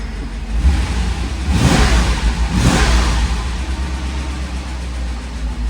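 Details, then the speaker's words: Mercedes 500SL that would not start, fixed by repairing the fuel pump connector (not the relay); it starts instantly, smooth idle rising into two quick clean blips and settling evenly, no stumble or knock. "Cette caisse démarre au quart de tour."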